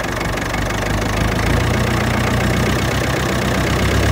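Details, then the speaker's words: Ferguson TEF-20 vintage tractor settling into a steady, even idle after a cold start: deep regular chug with no misses; normal idle, owner says it's idling nicely. "right brilliant okay idling nicely now uh I want to check the Hydraulics see if they're still lifting"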